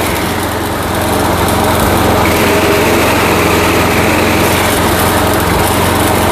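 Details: Old Craftsman walk-behind trimmer with Briggs & Stratton Quantum engine, after carburetor cleaning and drive cable replacement: fast, steady buzz picking up smoothly as the drive engages, no surging or stumbling; normal running under drive.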